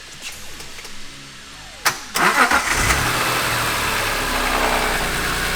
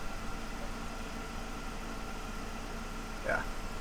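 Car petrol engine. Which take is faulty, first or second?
second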